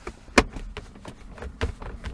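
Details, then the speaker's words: Volvo S60 (around 2004) armrest/console trim after repair with foam insulation and hand cream on the small hinges: dull taps and soft clicks when pressed, no squeak or creak, now quiet. "it's absolutely quiet and again I did put inside here at the small hinges that hand cream nice this one some foam inside this one more or less it's really quiet now very very nice"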